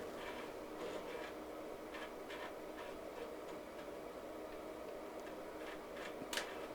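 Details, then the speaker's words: Amiga 2000 internal floppy drive seeking: faint irregular dry ticks in a quiet room after a weird noise earlier; noisy mechanism, owner suspects it needs lubrication. "that drive sounds like it actually needs a little bit of lubing"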